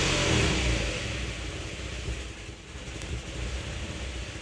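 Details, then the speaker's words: Vehicle that won't stay running: revs then drops to a low, uneven idle of about four pulses a second and stalls; MAF reads only 1.4–1.7 g/s at idle, suspected dirty; intake clamp found loose. "one and it wants to turn off one point four it turned off okay so it was idling like 1.4 1.7 grams per second alright so that looks real crappy"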